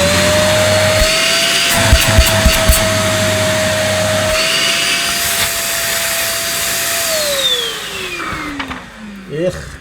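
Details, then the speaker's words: One Concept Pila bagless vacuum cleaner, rated 75 dB: loud steady whine with rushing airflow roar, dropping away as motor spins down; seems noisier than 75 dB and suction felt weak. "that's sounds to me a bit noisier than 75 not to folk let sounding vacuum is it and it didn't feel very powerful either"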